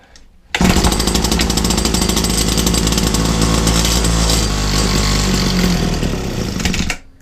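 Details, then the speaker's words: Old Husqvarna 22R two-stroke strimmer, a scrap find, primed with the bottom primer bulb: it bursts into a loud buzzing run for about six seconds, then cuts out. The primer isn't delivering enough fuel, so it is starving. "Okay, yes, it wasn't a fluke. It was literally, that isn't priming. I don't think it's not doing a lot."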